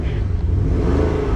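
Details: 64K-mile 2013 Porsche Panamera Turbo S (970), recently serviced with fresh oil, adjustable exhaust, revved against a soft limiter: deep smooth exhaust rumble rising and falling, even firing with no knocks or rattles; healthy, normal engine rev.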